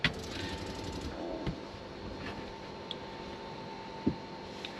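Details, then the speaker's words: Benivan 120 campervan with a newly replaced Shurflo habitation water pump (the old one failed from frost damage), priming the cold and hot taps: a quiet, steady hum with a few clicks. The pump runs normally. "That's the hot water system and the cold water system primed. That seems to be okay."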